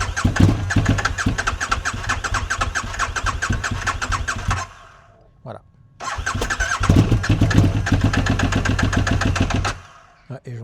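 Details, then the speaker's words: KTM RC8 R motorcycle, cold start after sitting overnight: two long spells of steady cranking, barely catching, then idle climbs; suspected air leak from a torn intake boot, with a lot of oil found there. "Et vous voyez quand ça démarre, ça finit enfin le le ralenti monte. Donc ça sent vraiment la prise d'air quoi."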